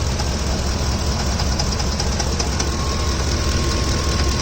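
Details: Ford F-150 V8, hot, idling with a steady light tapping about two or three a second from the top of the engine, constant rather than intermittent. Owner wonders about a camshaft problem; top-end knock, cause not confirmed.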